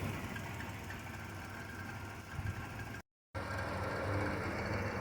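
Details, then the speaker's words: 1991 Chrysler New Yorker Fifth Avenue, revived after sitting almost 20 years, about 19,000 miles shown, recorded at the tailpipe: steady low idle with even pulses and no misses, knocks or hiss; no smoke, leaks or smells, sounds healthy, normal idle. "the exhaust is right here and as you can see there is no smoke no nothing this thing runs perfectly no leaks no smells no nothing"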